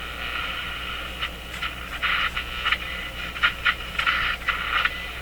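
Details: Zenith 6J05 tube radio with original parts, after replacing the power supply filter capacitors, which eliminated the hum, in a noisy shop: only a steady hiss with crackling bursts and no station audible. No station reception.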